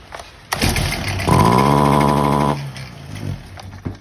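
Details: Stihl HT 250 fixed-shaft pole saw, air filter dirty and removed, same symptom: revs to a flat strained drone about a second then sags and dies back, won't reach full speed; spark arrestor suspected, not confirmed.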